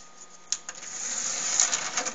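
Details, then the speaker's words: Laserdisc player with a very large tray for laserdiscs; soft clicks, then loud rising whir and clatter as the tray moves and the mechanism flips the laser head, normal loading noise. "the dvd and cds it's really noisy as you can hear the mechanism flips the laser heads such and this ridiculously large tray for laserdiscs"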